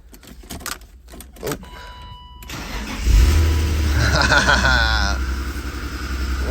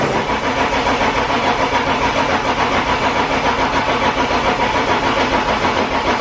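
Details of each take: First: BMW E36 328i, 5-speed, abandoned over five years, first start after replacing the dead fuel pump; a few quiet seconds of cranking, catches near three seconds, settles into steady idle. Battery light on; engine slightly ticky, then quiets. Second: BMW E36 328i, 5-speed, abandoned over five years, with a new battery; steady starter cranking at about three and a half turns a second, never catching. Owner suspects a fuel problem.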